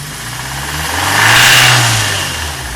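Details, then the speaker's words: 2002 Fiat Palio Fire engine after oil pickup unclogged (oil light fixed): metallic internal knock that rises and falls with revs, loudest near oil filter; owner suspects oil pump, unconfirmed. "esse barulho é bem mais próximo aqui do filtro do óleo mas por dentro do motor não faço ideia do que seja provavelmente pode ser a bomba de óleo"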